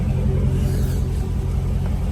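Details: 2017 Dodge Charger SRT 392 V8 after engine rebuild, idling about 10 minutes warming up, coolant at 163 while bleeding: deep steady rumble, even firing, no knocks or ticks, a short bump near the end; later ran 45 minutes without overheating; normal idle.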